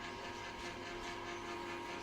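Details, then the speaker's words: Sugarcane juicer unused for about a year: a steady run with a rattly metallic clatter; first feared a broken bearing (bearings replaced two years ago), but the chain sprocket's set screw had backed out, letting the sprocket shift. "ครับผมลั่นเป็นพ่อโซ่นะครับตัวโซ่ตัวนี้จะมีการยึดด้วยหเหลี่ยมนะครับเหเหลี่ยมมันคายตัวออกนะครับคายตัวออกแล้วสเตอร์มันไปมาได้นะแต่ก็ยังนิ่มนะครับ"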